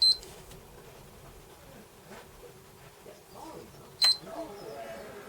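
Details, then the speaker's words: Sony PS3 Fat with a Blu-ray drive that won't spin or read: at power-on it shows green then blue light, shuts off, then gives short high beeps and a flashing red light meaning hardware failure. Capacitors or the GPU are suspected, not confirmed. "I'll have to have a Google of that now to work out what it means when it goes diddy diddy. And we get a flashing red light."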